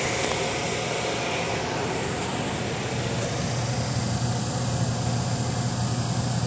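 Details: Sharp twin-tub washing machine spin dryer running after the defective dryer motor was replaced to cure a weak spin: steady low hum with an even whirring rush, no knocking or scraping; normal spin dryer operation.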